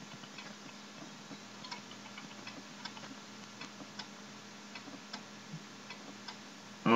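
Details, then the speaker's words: 2003 Western Digital Caviar WD800BB-75CAA0 hard drive tested in a Dell Optiplex GX110: sharp, irregular clicks, one or two a second, over a faint hum, the click of death; drive is dead. "that doesn't sound good sounds like um click of death"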